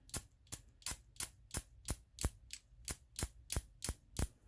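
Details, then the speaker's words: Ram 1500 3.6 fuel injector removed for cleaning, pulsed by tapping a wire on the battery while pressurised: crisp sharp ticks about three times a second; injector opening and closing normally. "obviously your fuel injector isn't just running constantly so you want to just tap on the battery and you can hear it you could hear it just go"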